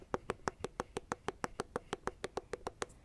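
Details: Roller skate wheel spun by hand with axle nut correctly adjusted, not too loose: light, even ticking about three times a second, spins freely and smoothly, no wobble; contrasts with loose nut's deeper, groove-catching sound.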